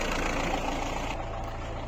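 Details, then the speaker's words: 2013 Mahindra Bolero ZLX diesel, 70,000 km, used-car inspection: low diesel clatter at idle, steady and even, no misses, knocks or excess vibration, heard walking toward the exhaust; normal idle. "ज्यादा vibration नहीं होनी चाहिए तो गाड़ी का sound बिल्कुल okay है"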